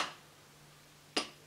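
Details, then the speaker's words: Brand-new crankshaft checked by holding the connecting rod and tapping its top: two short, dull, deep taps with no ring, showing a tight needle big-end bearing and a healthy crank. "ist komplett stumpf, also es ist komplett tief, es hat nicht irgendwie so eine Klinge oder sonst was."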